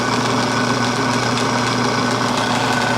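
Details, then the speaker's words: Small, possibly two-stage air compressor, cold start, air hissing possibly from the tank drain; quiet steady pumping hum, even beat, no knocking or grinding; normal running. "It's quiet. I don't know if it's making any air."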